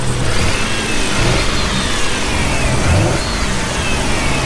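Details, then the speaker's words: Toyota 4Runner at its first start, running on a jump box. The idle is fairly decent, but the engine stumbles with a rough, uneven note when revving up; ignition timing is suspected to be off: misfire on revving. "Yeah, you hear that miss on the up rev? Yeah, that's the timing's off. Idle's halfway decent."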